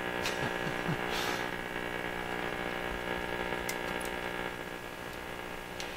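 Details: Viking Console RC311 radio during final alignment and test: steady low buzzing hum with stacked overtones, unchanged despite grounding; mains hum, source not yet traced.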